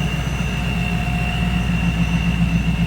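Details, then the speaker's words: 1994 Pontiac Firebird Trans Am 25th Anniversary, 17,604 miles, Vortech V1 supercharged, reportedly 450 hp on dyno, different cold air intake, engine bay view: steady even idle with smooth low pulse and faint constant blower whine; normal idle. "Previous owner stated a dyno at 450 horse. Good looking engine bay. Sounds good, too."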